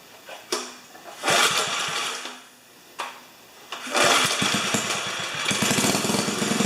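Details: 4HP horizontal Briggs & Stratton small engine with no throttle cable: it coughs and catches in bursts, then settles into an uneven run that barely picks up. Throttle response is poor; cause suspected, not confirmed.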